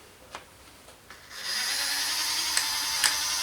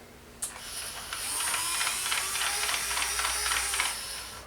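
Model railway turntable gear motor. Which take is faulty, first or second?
first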